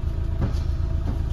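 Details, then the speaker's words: Rebuilt Mitsubishi Lancer 4G15, heard at the rear from the stock exhaust pipe: soft, deep, even puffing with nothing sharp, almost seems not running; normal, quiet idle. "Parang hindi umaandar yan sir. Grabe. Tahimik na tahimik mga padi."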